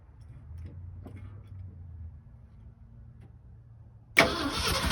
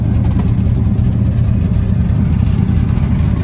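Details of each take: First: 1967 Ford F-250 Highboy brush truck, 352 V8, four-speed, long abandoned, first start attempt: quiet, uneven cranking for four seconds, then it suddenly catches and roars loud and ragged, with debris blowing out the exhaust. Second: Abandoned 1967 Ford F-250 highboy with a 352 V8 and four-speed, revived on a small add-on fuel pump: a deep, steady, even rumble with slight smoke after blowing debris out of the mufflers. Normal idle.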